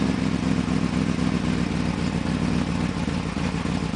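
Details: 1995 BMW 530i after a top-end engine rebuild, at start-up: uneven lumpy running caused by a vacuum leak.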